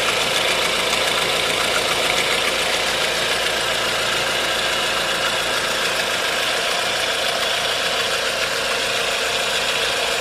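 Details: 1.4 16V engine at idle with a light, quick tapping knock about 3–4 per second that stays steady; timing chain tensioner checked and a belt removed, noise persists. Source undetermined.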